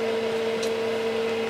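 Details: Keithley 228A 4-quadrant voltage/current source, output on at 100 V then 1 V and 0.1 V, all working: steady fairly loud mid-pitched hum with fainter lower tone; cooling fan a bit noisy.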